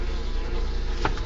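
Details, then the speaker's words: VW Golf 2 16S engine running: steady low buzz under engine noise, owner suspects the fuel pump or pre-pump (pre-supply pump), later finding a dead fuel filter; buzzing noise, cause not confirmed. "hélas ce qu'on entend c'est ma pompe du mal inspiré je pense et puis il paraît que je pense que ça doit être la prep"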